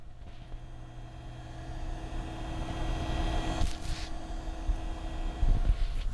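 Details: PC noise hunt, microphone held up to the water-cooling block/pump with two fans switched off: soft steady hum with faint tones and handling rumble; the pump runs smoothly and is not the noise source.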